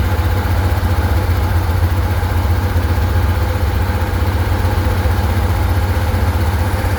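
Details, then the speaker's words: 1967 Chevrolet Corvair Monza coupe, 110 hp air-cooled flat six, two Rochester single-barrel carbs, 2-speed Powerglide: deep, steady rumbling idle with fast even beat and noticeably loud exhaust; loud idle, cause unclear. "Uh let's see if we can get that uh footage of the engine running for you. As you can hear, it's a little on the loud side."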